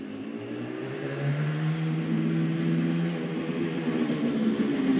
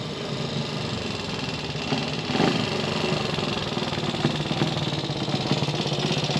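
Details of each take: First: Benelli 250 2C two-stroke twin returning from road run after restoration, clutch sticking earlier: crisp clean pull through revs with no misfire or rattle; engine runs lovely, tickover around 2 (thousand), needs more running in. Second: Gilera 124 5V classic motorcycle on first proper road run after restoration: uneven lumpy running with irregular popping and surges as revs rise; not running right, carburation suspected, spark plug and points timing to check.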